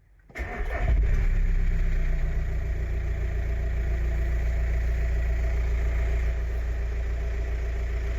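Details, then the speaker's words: 2005 VW T5 Transporter diesel with 230,000 miles, sold as a non-runner, fired straight up on a new battery. A brief crank, then it catches into a steady, even idle and seems to run okay despite warning lights and no power steering. "seems to run okay"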